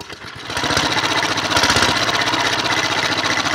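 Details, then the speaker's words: Diesel engine with recently replaced injector nozzles (by owner) revving up by itself and won't come down off throttle: uneven, unstable hard-pounding beat around four a second that builds, with heavy smoke; diesel runaway, shut down by closing off air. "il y a beaucoup de fume et ce n'est pas stable, ou c'est inégal, même si le contenu de la buse a été remplacé récemment par le propriétaire, mais le gaz n'est toujours pas agréable à entendre."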